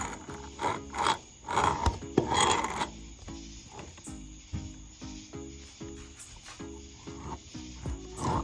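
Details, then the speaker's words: Kawasaki JS440 two-stroke jet ski crank, removed for bad crank seals, turned by hand: gritty rasping drag each revolution; surface rust inside and a rough crank bearing, with some noise from rubbing. "Not the quietest crank, but it's definitely had some surface rust in here. So we'll definitely need to clean this thing up."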